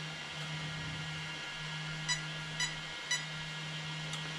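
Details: Arrma Kraton 8S: steady fan hum with three short high beeps about half a second apart from the ESC; motor suspected broken inside, with power loss in first.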